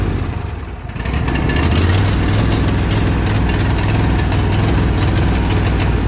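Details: Zero-turn mower at idle following a valve adjustment, blades engaged; idle chugs unevenly, about three beats a second with a loping rhythm, bogging and not wanting to stay running; cause unknown.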